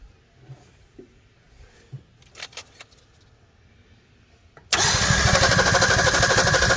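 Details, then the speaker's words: 1961 Ford Falcon Futura straight six, parked 20 years, cranked with fuel poured into the intake; after quiet clicks it catches and runs loud, uneven and lumpy, maybe two or three cylinders firing, plugs still to be checked. "this sounds like there's gonna be about maybe two or three cylinders hitting and firing there"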